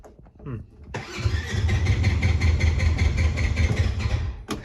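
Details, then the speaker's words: Polaris Ranger 900 XP side-by-side, cooled down a bit (about 160): short crank catches after a second into uneven idle; starts fine with throttle and idles when released but won't start on key alone, cause unknown; possible injector clicking noted; hard starting. "so weird so I'm not entirely sure why it's not one to start like that it's weird because you give it throttle and it'll start up fine and then you let go of the throttle and it'll idle"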